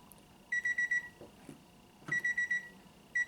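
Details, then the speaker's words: 1995 Honda Civic Del Sol with a battery-drain problem: bursts of five quick high beeps repeating as the door switch is pressed, the key-left-in-ignition chime; a dented door switch was keeping the interior light on and killing the battery. "and has a little bonus footage if you can hear that key going off"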